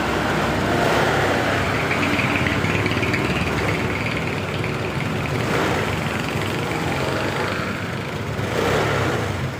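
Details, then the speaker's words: Honda Beat LED Deluxe scooter that had died with stored DTC code 7. After clearing the DTC it idles evenly with gentle throttle blips and runs normally; a loose EOT sensor socket is suspected as the cause. "[Tepuk tangan] [Musik] Oke, sudah normal."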